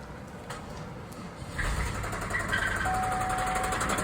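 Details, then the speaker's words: Buick 3.8 V6 with new water pump and resealed timing cover, starting and rough idling with a steady heavy knock: worn rod bearing with excess clearance; belt removed to rule out accessories, and the engine is hard to rotate. "go damn that is a knock in so basically the bearing t has become so large inside of the engine"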